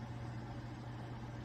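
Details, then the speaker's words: Over-the-range microwave/range-hood combo after tightening all screws to stop vibration and resonance in the hood section: steady low hum, no rattle or buzz; normal quiet running after repair. "看看现在的噪音怎么样？这声音非常好，"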